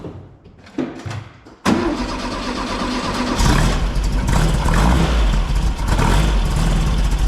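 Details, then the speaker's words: 1964 VW Beetle engine after oil cooler seals were renewed and ignition timing was set with a test lamp: brief cranking, then it catches cleanly into a steady, even low thrum with no popping or banging; normal start and idle. "okay just went for a test drive no popping no banging smooth as silk"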